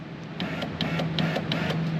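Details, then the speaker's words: 2000 Honda Civic sedan driver-side window, newly replaced motor and regulator assembly tested via the switch with key on during installation: steady low whir raising the window smoothly with light regular regulator clicks; normal power window motor operation. "this is also a good chance for us to test our motor you hear it starting to come"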